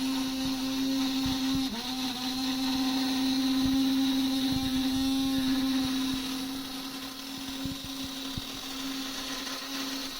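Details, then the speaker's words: HO-scale model monorail, only one car powered and not the front one, attempting a full loop: steady motor hum holds while labouring, then sags and fades as it stalls just short of a circuit; too little pulling power. "if only had another locomotive that I could send down the line to rescue it when it gets stuck"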